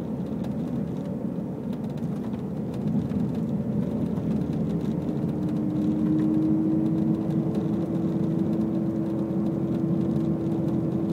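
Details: 100% stock Subaru STI while driving: steady road rumble then a hum that rises in pitch and holds as speed builds; source not yet found.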